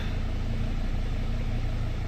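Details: Dodge/Mercedes Sprinter diesel van, idling on start-up after a repair for being gutless, starting far more easily than before: smooth, even diesel idle with a low steady clatter, no misses or hunting; runs clean.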